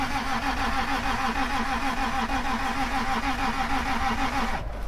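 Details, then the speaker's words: 1996 Toyota Tacoma 3.4 after lying on its side, cranking on jump box in cold: steady starter cranking about three beats a second, never catches, fuel smell; possibly out of time (owner feared bent rod). "Might be out of time. I would rather it be out of time than have a bent rod."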